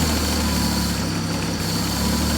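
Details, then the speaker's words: John Deere 322 flathead engine just after cold start: steady idle drone sags for about half a second when the spreader box is lifted, then recovers; engine bogging under hydraulic load, owner hopes no carburetor issue. "just bogged down because I lifted the spreader box."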